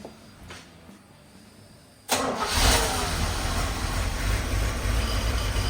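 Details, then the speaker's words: 1984 Chevy K20 with 350 V8 after sitting 7 years, following spark plug and oil change: cranks and catches about two seconds in, then settles to steady even low idle rumble, getting smoother as it sits; normal idle. "Well, I think that's another win. It's getting smoother as it sits. Purrs like a kitten, quite frankly."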